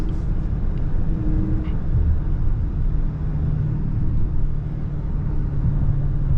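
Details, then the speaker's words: 2023 Dodge Charger Scat Pack Widebody Last Call on the freeway with windows down: heavy low throbbing rumble beating against the ears, wind buffeting from open windows. "I don't know if y'all know what I'm talking about, but like when you on the freeway and you got the windows down and make that loud ass noise, that shit irritating."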